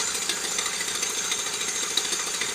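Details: ER6 engine with pump drive: rapid, fairly regular tapping over a high, thin engine note, starting once the pump friction wheel engages; the loose, wobbling friction wheel is suspected.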